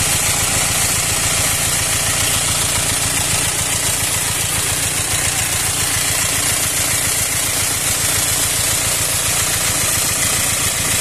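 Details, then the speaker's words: Four-cylinder engine swapped in to replace a six; after reassembly it runs rough and loud, noise level about 60 now reaching 85. Loud, hissy idle pulsing unevenly three to four beats a second with an airy rush, like an intake air leak; hoses and clamps were replaced but air noise persists. "الصبح اول ما اشغلها كانه في هواء بالخراطيم الخراطين بدلناهن والكرمبه النظاميه لكن في هواء"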